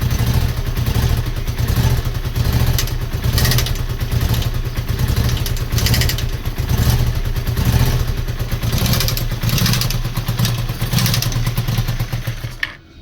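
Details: Honda VT250F with a contract (used replacement) engine fitted: heavy, deep running note with a recurring knock about once a second that doesn't settle, coming from inside the engine; engine knock.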